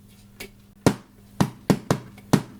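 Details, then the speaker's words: JVC VN-300 amplifier on service speakers, no audio input connected: loud irregular pops and crackles over faint mains hum; later the volume potentiometer was replaced and a missing ground on one of its channels was found. "O, jest faktycznie głośny trzask. No te trzaski są niepokojące generalnie."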